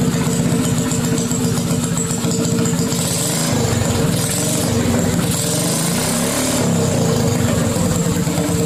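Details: Mini bike single-cylinder with aftermarket Mikuni carburetor, first start after catch can install: loud idle with uneven, lumpy beat and wavering pitch; rough running, owner plans to tune the carburetor.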